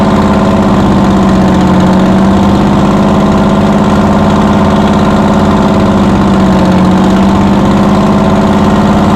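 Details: 60-year-old US-imported Massey Ferguson 98 tractor with factory Detroit Diesel GM 3-71 two-stroke, after significant restoration: steady, even idle with smooth low drone, no knocks or misses; normal idle.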